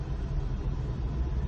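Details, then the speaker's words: Ex-police 2008 Holden Commodore VE Series 1 on first test drive after fuel, spark, air and TCM fault repairs: deep, steady drone under load with no hesitation, misses or surges; strong engine pulling smoothly. "So, first test drive is going really, really well. [laughter] This thing, it's it hauls ass. I mean, like, it's it's got a really strong engine."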